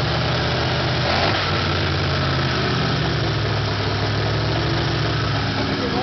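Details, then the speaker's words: V8 Chevrolet Nova with a thumper cam, first start after rebuild: loud, lumpy, loping running that never settles to a steady idle; rockers still need setting and carburettor adjusting; unstable idle. "It still won't idle, because we got to set the rockers again and adjust the carburetor, but..."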